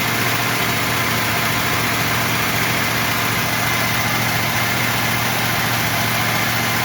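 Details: Running after Quadrajet carburetor rebuild, restarted with fuel poured in the carb and battery charging; steady fast unchanging idle well above normal with no settle, idling far too high.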